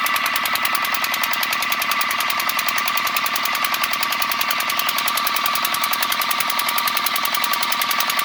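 Fast, even metallic ticking runs steadily right through, light and high-pitched; an abnormal tap in the engine, cause not yet pinned down.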